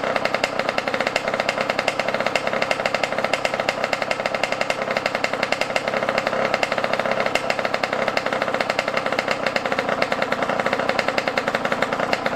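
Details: Yamaha YZ125 two-stroke dirt bike, cold and not warmed up, during carb air-screw and idle adjustment: fast buzzy crackle with a ragged, uneven beat and wandering revs, running rough. Carb mistune suspected, not confirmed.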